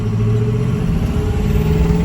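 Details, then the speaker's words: 2005 Ford F-450 dump truck, 6.0 Power Stroke diesel, on the road after repair (previously would not pass 1000 rpm, fuel pump believed the cause): deep rumble climbing smoothly, 22-23 psi boost at under half throttle; normal acceleration. "there's 22 23 PSI boost not half throttle she seems to be running pretty good guys"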